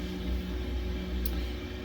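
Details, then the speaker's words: Samsung smart washer WA55A7700AV/US on spin cycle, spinning fast: quiet steady low hum with constant motor tone, no thumping, scraping or rattling; normal spin. "As you can see, it is spinning pretty fast here."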